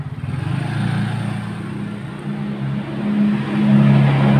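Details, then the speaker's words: Honda Beat scooter with complaint of rough dry-bearing noise that remained with CVT removed: steady low rumbling drone growing with revs, traced on teardown to a worn crankshaft bearing, camshaft bearing fine. "suara berisikan macam-macam suara berisik itu seperti ini ini suara berisiknya sumbernya dari bearing"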